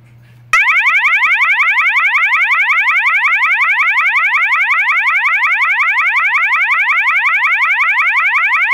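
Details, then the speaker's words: System Sensor MASS121575ADA horn with no clips inserted: loud fast warble sweeping up and down about three times a second, like a burglar alarm. The tone is working normally. "this tone is going to be the fast warble and the warble tone sounds like the sounds like a burglar burglar alarm"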